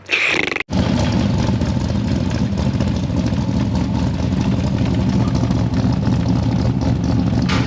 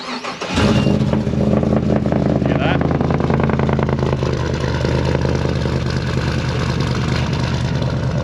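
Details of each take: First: L98 LS-swapped Toyota Land Cruiser 80 Series after fitting another muffler: engine catches and settles to steady deep lumpy-cam rumble, slightly quieter, no crackle or popping; the gross crackle is gone, header flanges still to be checked for leaks — normal exhaust note. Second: LS-swapped (L98) 80 Series Land Cruiser V8 cranks and settles into a loud lumpy idle with faint crackle and popping; exhaust developed crackle after packing bedded in, extra rear muffler to be fitted.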